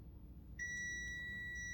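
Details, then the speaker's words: 3-pin automotive relay on the bench, with battery positive applied to coil pin 2 and the multimeter on continuity across the switch contact. A sudden steady high-pitched multimeter beep shows the contact closed; the relay works correctly. "y al conectar el cable rojo en el pin dos de la bobina del relevador se escucha el sonido de continuidad en el multímetro y aparecen ceros y números qu significa que se cerró el contacto del switch de este relevador y está funcionando cor"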